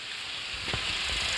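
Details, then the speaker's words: Suzuki Alto routine checkup, engine running with AC on, checking the outside radiator cooling fan: steady strong airy rush with no rattle or scrape, fan spinning at high speed and blowing air properly; normal. "बाकायदा तौर पर जो है ये speed की आपको आवाज़ आ रही है और पंखा जो है बाकायदा आप यूँ थोड़ा सा यहाँ हाथ करेंगे इस तरीके से तो आपको हवा ठीक ठाक महसूस होगी, आवाज़ आएगी कि पंखा बड़ी स्पीड से चल रहा है।"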